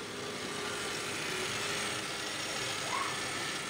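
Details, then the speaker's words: Honda Accord hydraulic power steering, owner-replaced pump still noisy and steering heavy, heard while turning the wheel at idle: steady high hiss and whir with brief rising whine from the pump; air in system from improper bleeding, foaming fluid. "Hai net suaranya itu berasal dari pompa power steering nya Nah pada pompa power steering ini itu baru sudah diganti pemiliknya dengan dibolehkan secara online namun setelah diganti itu masih muncul bunyi abnormal"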